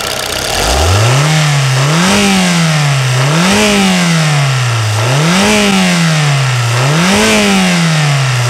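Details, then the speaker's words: Toyota Corolla petrol engine, in for injector replacement, compared to the Nissan Frontier diesel: blipped up and down repeatedly, smooth even pitch rise and fall, no knock or clatter; quiet and healthy versus diesel. "parece um patinho né vai ser um grilo né comparado com motor diesel"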